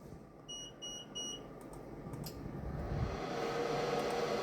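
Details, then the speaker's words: Procolored P13 DTF printer during daily printhead maintenance and cleaning: three short high beeps about a third of a second apart, then the carriage whirs as the cleaning is cancelled and dismissed; a printer warning beep. "It is beeping at me. It doesn't like me when I'm doing this."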